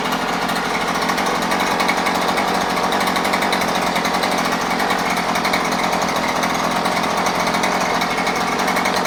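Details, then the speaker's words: New Husqvarna 130C gas string trimmer, first start after primer bulb and choke: steady high buzzing two-stroke note at even speed, no misfires or surging; normal running. "ah well sounds good feels good runs good now we'll go out and uh do some cutting with it"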